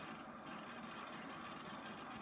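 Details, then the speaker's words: NEC Ready 9905 desktop, Pentium II, booting Windows: busy scratchy clicking and chatter over a steady whir; the hard drive is loud while seeking during startup. "I'm not sure if you can hear that hard drive but that hard drive is pretty loud"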